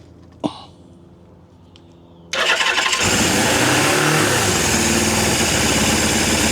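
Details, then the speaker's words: Suzuki GS750 motorcycle, about 23,000 miles, first start after sitting, choked: catches at once then holds a high busy idle that won't drop; idling too fast, fuel dripping on number two cylinder, needs tuning. "Well, it's idling too fast. It's also dripping on the number two cylinder. Let's see if we can turn down that idle."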